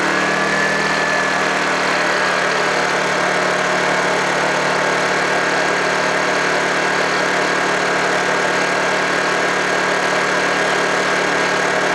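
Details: Honda generator unused for about three months, after a cold start: settles into a steady, even idle hum with no hunting or misfire, running healthy.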